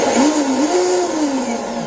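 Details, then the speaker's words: Volantex Vector 70 24-inch RC boat electric motor, forward and reverse: smooth whine rising and falling with throttle, no rattles or grinding. "It's actually pretty smooth sounding."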